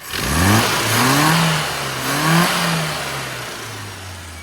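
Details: Classic Mini with HS4 carburetor after on-the-road tuning (dwell and timing adjusted, needle tweaked at 2,000 rpm, oil changed to 30 weight, owner-fitted hybrid damper): crisp revs rising and settling cleanly, no stumble or misfire; healthy running.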